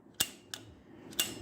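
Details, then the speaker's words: CompAir mobile compressor engine's Murphy shutdown relay clicking crisply, four clicks in under two seconds, working again after a bad fuse-terminal connection in its circuit was found; relay normal. "and you can see now we've got it working you can hear that thing clicking away you can hear the relay in there clicking away"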